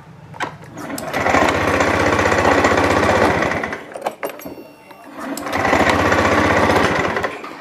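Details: Fuel-injected scooter that arrived pushed in, dead, now fixed: a new spark plug did not help, but replacing the plug cap/coil did. Two short revs of the small single rise and fall cleanly with quick firing between. Normal running.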